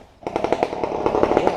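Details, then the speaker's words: Harsh, loud two-stroke rasp with sharp popping pulses from a freshly rebuilt dirt bike (2000 Suzuki RM250 on stock exhaust or 1993 Honda CR125 with Pro-Circuit pipe) after its muffler fell off on the track; nothing muffling the exhaust. "Yeah, did the pipe actually fall off? Yeah. Dang. Because it just got louder right here."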